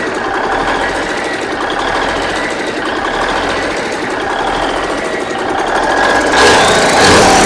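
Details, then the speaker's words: Rebuilt Big Cam Cummins NTC 365 diesel with new cam bearings running fairly even with steady rattling clatter, no heavy knock, speed lifting slightly near end; runs good, though oil pressure low at about 25, owner thinks rods and mains needed. "Man, that thing runs good. It runs as good as I could expect, actually."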